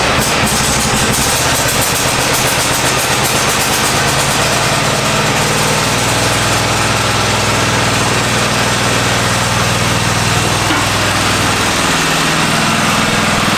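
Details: Free Craftsman riding mower, said to have stopped running, oil changed and overfilled; engine catches and settles into fairly even steady putter idle without knocks or stumbles; normal start and idle.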